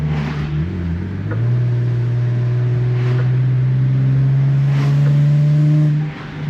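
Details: Nissan VQ37 with Berk high-flow cats replacing ISR high-flow cats, heard with windows down while driving: deep steady exhaust drone rising smoothly with throttle, no ticking or puffing from a leak; exhaust sounds healthy.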